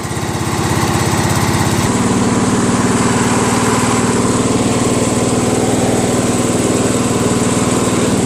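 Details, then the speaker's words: Craftsman LT1000 lawn tractor, 21HP Briggs opposed twin; lopsided chug about three pulses a second with rough rasp, firing on one cylinder; inspection mirror shows a connecting rod missing from the crankshaft. "I betcha that's a connecting rod that's probably why this is not working"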